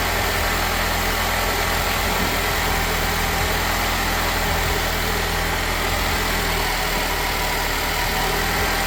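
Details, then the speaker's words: Nissan Qashqai after an engine change (the original ran out of oil and rattled and knocked). First start and test drive give a steady, even engine hum with no knocking or rattle. "That's what we like to hear when we finish an engine change."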